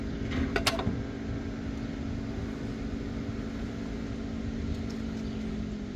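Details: Cupra Born 150 kW MY24 electric car shifting from D to R: a quick pair of sharp clicks from the rear axle, then only a steady low electric hum.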